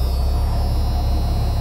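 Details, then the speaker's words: Jeep Cherokee 4.0, hot, after a cylinder 6 miss: steady low rumble at warm idle, even pulses with no skips, miss gone; slight buzzing from a bad motor mount. "idling nice sorry for that extremely annoying buzzing sound I have a bad motor mount so there is a slight slight movement"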